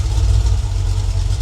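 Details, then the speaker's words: Freshly rebuilt Ford 302 V8 on its break-in run (.020 over, roller cam, Edelbrock Performer heads, Holley 600 carb), after refuelling and burping air from the cooling system: a deep, steady rumble at about 700–800 rpm. Normal idle, possibly reading a little rich. "yeah looks like we got about 700 800 RPM"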